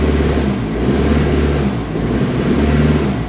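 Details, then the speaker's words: 2000 Ford Focus with stumble at highway light throttle and no codes, engine loaded in gear against the brake, fuel pressure holding steady: uneven, stumbling beat dropping out irregularly; misfire traced to a bad ignition coil, replaced. "So I'm going to actually put this in gear, hold my foot on the brake, and get it to misfire and watch the fuel pressure to see if my fuel pressure drops. I don't know if you can hear that, but it's missing right now."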